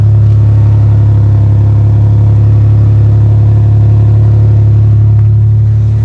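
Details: First-gen Toyota Tacoma after catalytic converter replacement and re-tacking a broken weld: deep, steady exhaust drone at idle with no puffing or ticking from a leak; all exhaust now exits the tailpipe.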